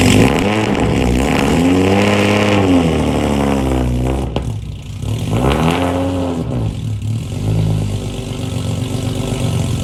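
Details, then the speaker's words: Nissan 350Z track car with stock JDM engine installed but cammed-engine tune still loaded, running very rich; had flooded and stalls on ramps. Crazy loud, revs rising and falling unevenly, lumpy and stumbling at lower revs; rough running. "So it was just flooded because it's running so rich. Even with the stock engine installed, it's crazy loud. You can hear it's not running very well right now."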